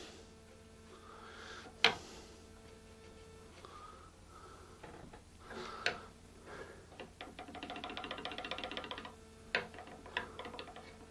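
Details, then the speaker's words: Fender Telecaster after re-fretting, checking pressed-in frets with a fret rocker: a handful of sharp isolated clicks as the rocker tips, showing a high spot that needs leveling. "all right all right can you hear guys the clicking sound so there's a high spot right there"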